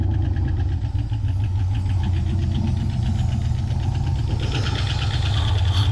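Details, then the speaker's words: 1987 Ford Mustang GT convertible, sat 25 years, fuel pump not pumping, running briefly on brake-clean starting spray (possibly flooded): heavy, uneven rough idle with a few light ticks for about 30 seconds; cause unclear, owner thinks nothing serious. "all right so I might have flooded it a little bit with the brake clean but it actually allowed the thing to run for a good 30 seconds there a couple ticks um I don't think anything too crazy in reality actually"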